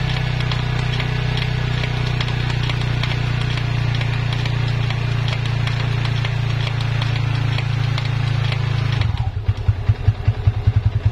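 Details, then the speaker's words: Yamaha Vixion rear hub held with the brake while in gear under throttle: a steady low drone turns into an uneven pulsing rumble. It is silent when not driven, pointing to a worn rear wheel bearing. "Nah jadi suaranya seperti itu ya sahabat semua kalau seperti ini ketika tidak ditarik dia tidak ada bunyinya Nah itu ada bunyi sekali ada bunyi ya"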